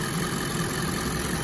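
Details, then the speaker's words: Wrecked 2010 Audi A8L, 4.2-liter V8, hood open; engine described as very quiet with no weird noises. Even steady hum, no ticks, knocks or rattles: normal idle. "engine runs beautifully absolutely no uh weird noises or anything like that coming great tolerances for the engine"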